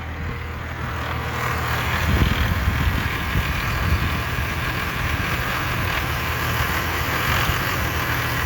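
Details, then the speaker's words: Diesel after replacing the throttle linkage ends and adjusting the idle: steady low rumble at a slow, even idle with no hunting, knocking or stumbling; engine idling fine. "Alright, and we are good to go. Everything seems to be alright. There's no problem."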